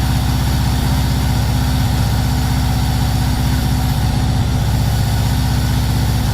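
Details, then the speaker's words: VW T3 Combi with swapped Subaru engine just after first start: loud, low, uneven idle with a lumpy stumbling beat about three pulses a second, black smoke, far too rich. "Bon, t'as vu, maintenant il tourne pas bien, il fume noir en mode TDI, on a l'impression il a plus de 10 de richesse."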